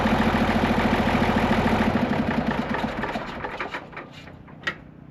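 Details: Case 1175 tractor diesel parked 15 years, revived with ether: an even clatter at about three and a half firing pulses a second with no knocks or misses, healthy; it won't go into gear, suspected clutch out of adjustment or worn out.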